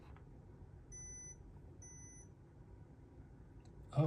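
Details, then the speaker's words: 4GB iPod Nano 4th generation (rare, select-market model) on first power-up: two short high beeps about a second apart over a quiet room; screen later lights but it only beeps and never turns on, cause unknown. "Oh, it beeped. I don't know what that means. You hear that? I've never heard an iPod Nano make a beeping noise like that."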